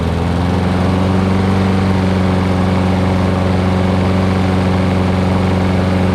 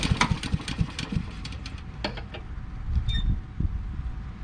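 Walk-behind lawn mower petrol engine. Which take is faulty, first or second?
second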